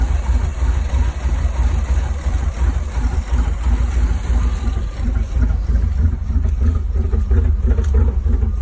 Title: 1984 firebird camaro rough idle help